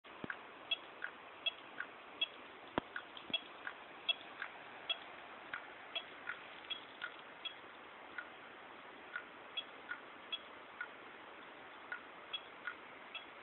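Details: New Seagate ST9320421ASG 320GB laptop hard drive during a full antivirus scan while copying large files to a network folder, before firmware update to DE17: sharp, light, unevenly spaced clicks about 80 a minute over a faint hiss; cause suspected, not confirmed.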